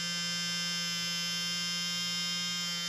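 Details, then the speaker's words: Tamiya 58001 Porsche 934 RC motor bench-tested on 7.2 V, commutator looks good: smooth steady high-pitched whir, no roughness or sparking crackle; motor running healthy. "and it actually sounds real healthy now"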